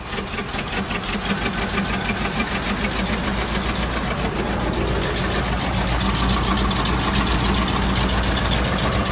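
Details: 2003 Land Rover Discovery 2 idling with a steady, fairly regular knock, around three beats a second, over the running noise: engine knocking.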